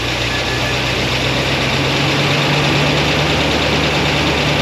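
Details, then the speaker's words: 1976 Corvette Stingray 5.7L V8 bored .060 over, cold start after oiling binding roller rocker trunnions and setting valve lash: steady idle with a faint quick ticking; a little clacking but less than before. "I'm going to let it warm up there's a little bit of clacking but not as much as there was before"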